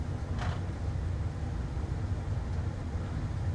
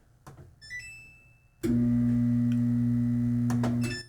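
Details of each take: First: Samsung dryer after repair of a humming, drum-not-turning fault, door switch taped shut: steady, even low rumble of the drum turning smoothly with no squeal, thump or grinding. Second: yeah and you just hear a humming noise the drum doesn't turn just a humming noise is all we got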